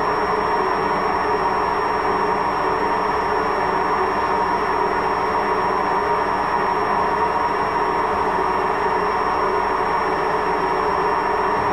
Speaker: Also eine Waschmaschine mit Lagerschaden. So hört die sich an, eine Waschmaschine mit Lagerschaden.